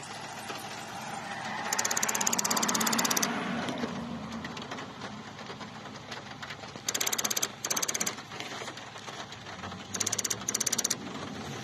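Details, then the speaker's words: Infiniti Q45 with a malfunction: rapid machine-gun bursts of sharp clicks, about three a second, from the ABS block/motor; a friend thought throttle body, owner suspects something ABS related; cause unknown. "I had this weird ticking sound in the ABS block here, the motor, and it would make this crazy clicking sound like a machine gun."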